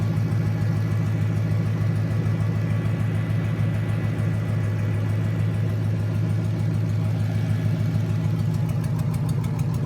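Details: Junkyard 2009 5.7 Hemi V8, about 80,000 miles, with Hotwire harness and 09 Challenger PCM, idling on a run stand with coolant and fans running: steady, even low burble at constant idle, no ticks, knocks or hunting. Normal idle.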